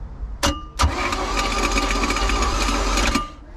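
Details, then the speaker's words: Neglected boat engine, first crank on a jump pack with plugs out: the starter spins it for about 2.5 seconds with an uneven chugging beat and it never catches. No spark; the ignition points needed sanding. "Does not sound good, but let's throw the plugs in. No spark."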